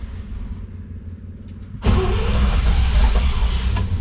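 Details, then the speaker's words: International Harvester C1600 truck with 345 V8, choke fully out, electric fuel pump primed, starting aid used: slow labouring cranking, then catches with a sudden deep rumble and keeps running, building to a strong low beat. "we'll put our starting assistance and let's see here we go it's gonna take a few turns so be patient"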